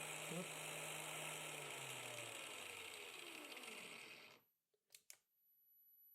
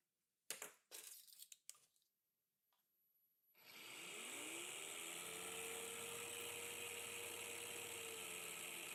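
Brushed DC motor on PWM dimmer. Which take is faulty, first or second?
second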